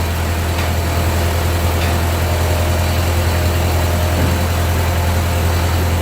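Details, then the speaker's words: 1945 Ford 2N loader tractor engine idling during loader repairs; the engine smokes somewhat. Steady low thrumming idle at an even beat, no misses or knocks; the old tractor engine runs smoothly. "Yeah, it does run nice."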